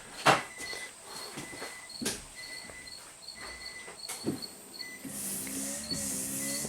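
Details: 2014 Nissan Rogue rear wiper after repair with no parts: wiper sweeps back and forth with soft, regular motor whirs, then washer pump hums and sprays; no binding or grinding; normal wiper and washer operation.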